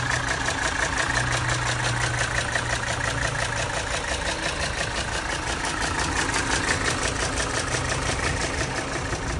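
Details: 1980 Mercedes 300SD turbo diesel, 141K miles, starts easily with no excessive smoke: even diesel clatter at a steady idle, regular beat with no stumbles or misses; engine idling healthily.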